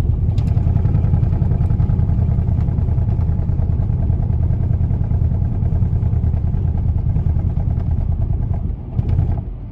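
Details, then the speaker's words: 2011 Nissan Rogue with P0300 random misfire code, power loss and heavy vibration, before coil pack and spark plug replacement: very rough stumbling idle with lots of misfiring. "today we are working on a 2011 Nissan Rogue and the conditions that we're seeing are a very very rough idle we also have a lot of misfiring and a ton of vibration"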